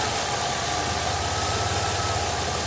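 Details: 2003 Jeep Liberty 3.7 at idle: deep dull knocking low in the engine, keeping time with revs; rod knock from a worn rod bearing.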